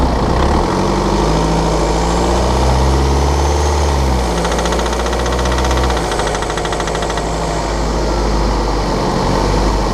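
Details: 2013 BMW 520d F10/F11 N47 diesel, cold and under load at 1500 rpm: hard, fast metallic rattle over the engine note as revs change; faulty injector, pinpointed with ISTA test.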